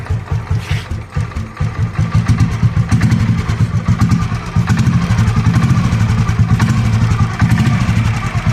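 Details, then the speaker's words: 2007 Royal Enfield Bullet Machismo 500 LB AVL single, 5-speed, stock, freshly serviced; revved after smooth idle, deep slow thump climbing and falling with throttle, even with no knocks or rattles. Normal engine revving. "okay okay I'm going to rev it a bit so that you can hear how the bike sounds when it's"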